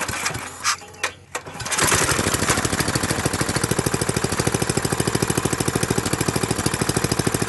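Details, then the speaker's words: Briggs & Stratton industrial single-cylinder small engine, hard to start, chugs at a steady fast beat after several tries after the carburettor was refitted. Fuel starvation: fuel is not reaching the carburettor and the fuel pump is suspected not working. "i'm not sure the stop field pump is working y'all our fuel is not really getting to the carburetor like it should so this that's the problem"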